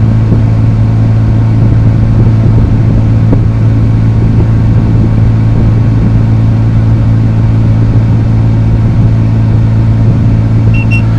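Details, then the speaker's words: Chevy Avalanche after A/C compressor replacement, heard from inside the cabin: steady even engine hum and constant low drone, no squeal, rattle or clutch chatter; compressor running smoothly. "and now we're inside feels pretty good in here see what we got"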